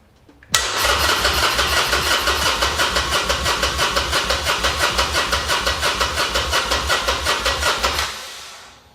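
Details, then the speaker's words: Harley Sportster, engine untouched, with a new battery: about seven seconds of steady cranking at about three compressions a second without catching; the pump can be heard running, and the no-start turned out to be a fuel issue with the fuel line. "I need to check this fuel line I don't know if it's actually grabbing fuel I can hear it pumping"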